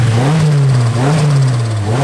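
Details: Nissan Silvia S14 (EBISU) after swapping in a borrowed MAF sensor: strong steady idle with faint slow rise and fall in pitch, running much better but still hunting slightly; vacuum leak smoke test next.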